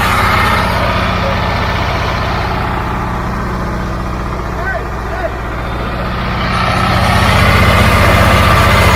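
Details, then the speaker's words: Caterpillar logging machine diesel engine at a steady, even idle with a smooth low thrum and no knocks or misses after air was bled from the fuel system; engine runs pretty good, normal diesel idle. "Sound like the engine runs pretty good. It did sound really good."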